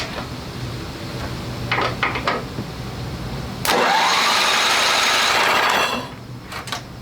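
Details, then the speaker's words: Old Craftsman riding mower with a 10 hp single-cylinder Tecumseh, water-damaged, lubricant put down into the rings: the starter spins it over evenly and fluid sprays out with a loud hiss; it now turns more freely without binding. "Yeah, that puked it out, see? It hit the target. Sounds better."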